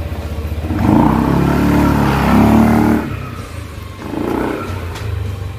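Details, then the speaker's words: Yamaha NMAX CVT that had squeaked like a trapped mouse pulling off from a stop up to 10-15 kph, retested with the clutch lining and crank cover refitted: two rev-ups, smooth even belt drive, no squeak or dragging; normal. "na w dragging Wala Walang dragging k test na mo wala na mga bross okay na lining talaga"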